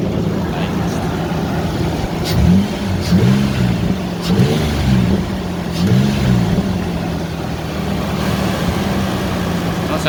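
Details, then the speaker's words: Ford Ranger after replacing leaking timing chain tensioners with intake removed, first start: smooth steady idle with even injector ticking, good oil pressure, no timing chain rattle or slap; engine healthy. "good at least you can hear the injectors clicking away but i don't hear no timing team rattle"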